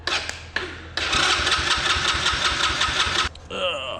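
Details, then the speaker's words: Small 125cc Chinese kids' ATV, slow to fire, sometimes needs starting fluid and runs rough; owner suspects a worn needle-valve rubber in the carburetor. About two seconds of even cranking with no catch: cranks but won't start. "it'll fire up it takes a while for it to fire up and sometimes it won't fire up um without like starting fluid"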